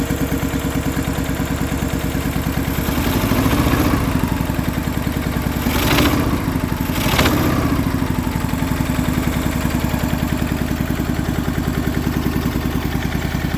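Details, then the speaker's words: MTD Yardman twin-cylinder tractor, first start in years after a valve adjustment and new starter, choked, on a booster pack and old fuel: a rough, uneven, lopsided thumping idle with throttle blips. One spark plug wire was left unhooked, so it runs on one cylinder. "Noticed one issue. I forgot to hook up the spark plug wire right here. It was actually only running on one cylinder, so that actually wasn't bad for one cylinder."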